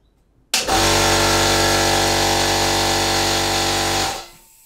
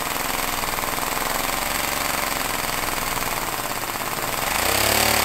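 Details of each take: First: Compressed air engine, first pressurization from compressor: sudden loud steady hiss for about three seconds then dies; air leaking from several places, suspected at the connector and slightly from the cylinder top gasket. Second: Homemade compressed-air engine at 50 psi with a small lever-operated diaphragm-valve throttle: rapid chuffing pulses that speed up and rise in pitch twice, then fall back, following the throttle; normal running under throttle control.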